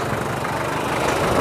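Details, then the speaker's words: 1996 Taft GT F73 Independent 4x4, warmed up after driving with the temperature gauge past 1/4: rough, steady, evenly rhythmic diesel clatter at idle. Noisy but normal warm idle. "Mohon maaf kalau suaranya berisik karena ini memang tough ya. Ini sudah panas, sudah tak pakai muter-muter, tadi temperaturnya sudah 1/4 lebih."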